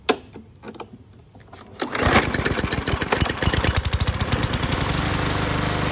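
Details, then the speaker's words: BlackMax/Murray MNA152905 mower, about 1 year old, Briggs & Stratton 125cc OHV, after flywheel key replacement, with a used 20-inch Craftsman blade on a 21-inch deck; starts after a couple of pulls and settles into a steady single-cylinder putter. Slight shake, probably blade imbalance; flywheel slightly cracked. "It does shake a little bit, but probably the blade that's a little bit off balance because it is used."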